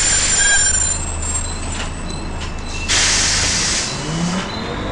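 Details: First Manchester Volvo B10BLE diesel bus 61241 (R339GHS), recorded 9 October 2010. A thin, piercing, strange high-pitched squeal sits above the low drone and a hiss of air; source unknown.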